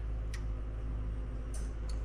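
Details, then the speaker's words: OEM Chevy Silverado fuel pump fitted into a modified stock wagon fuel tank, key cycled with the battery weak: low, even electric pump hum with faint ticks. The pump runs normally and there are no leaks. "Yeah, battery's hooked up. I hear fuel pump. I'm going to cycle a couple times."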